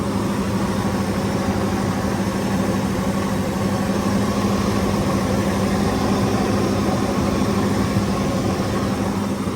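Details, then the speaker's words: 2003 Ford Excursion with V10 Triton, check engine light on, at idle: low, steady idle with an uneven, lumpy pulse two or three times a second; bad misfire, suspected multiple-cylinder misfire. "Sounds good though. Captain style seat. She's a hauler, the guy. She's misfiring bad"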